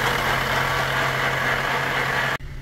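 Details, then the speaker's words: Honda Element in fifth gear at about 30 mph and 1100 rpm: steady low transmission hum over road and cabin noise, absent in second gear at 10 mph; transmission leaking oil. "la tengo en quinta aproximadamente voy a 30 millas por hora la revolución está como en 1100 alcanzan a escuchar ahí se escucha ese ruido en la transmisión"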